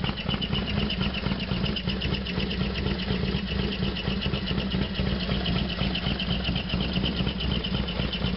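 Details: Harley FXDX V-twin on a completely cold start, not run since the day before: fast, sharp ticking clatter riding over the loping idle; loud noise, cause undetermined.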